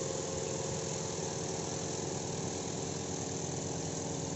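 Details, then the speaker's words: Washing machine spin dryer loaded loosely, not overfull: after slight initial shake, a smooth even whirring hum that speeds up and stays stable with no thumping; normal balanced spin. "kalau cuma sekedar getar dikit itu masih bisa jalan lalu akan stabil kemudian putarannya akan semakin kencang ini stabil ya"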